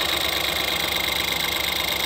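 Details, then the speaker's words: Fast, even, smooth idle with no misses or knocks on a 2013-2016 Ford Escape 1.6L with 160,000 miles, after valve cover and gasket replacement and new iridium spark plugs; smoother than before, healthy idle. "so anyways sounding real good and uh this looks gonna do it"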